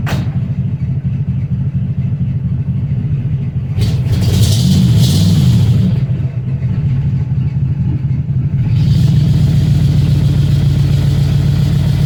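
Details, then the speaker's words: 1961 Cadillac Coupe DeVille V8 idling after a hot-weather cold start following about four months sitting: a deep, loud, unmuffled burble of about three pulses a second. One brand-new muffler is blown, leaving that side on straight pipes. "started up pretty good idling fine it's just loud"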